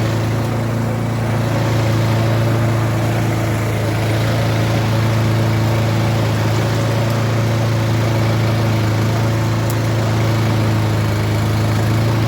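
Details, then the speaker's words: Husqvarna self-propelled four-wheel-drive lawn mower after replacing shredded drive pulleys; engine started to test drive, steady even idle hum with no knocks or slipping, drive working: normal running. "but it's turning the drive is good the pulleys have been replaced everything under there is brand new"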